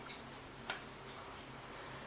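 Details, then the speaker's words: Wind-up alarm clock in a quiet room: faint, even ticking with a regular beat, taken as indication that the movement works; normal ticking. "And if you listen very carefully, I don't know if you'll pick that up. Can you hear it ticking? I can hear it."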